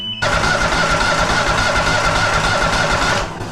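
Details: Walker Superbee 52-inch rear-discharge mower, parked since end of April with a dead battery and suspected no fuel delivery: the starter cranks steadily for about three seconds with no firing, so it cranks but will not start.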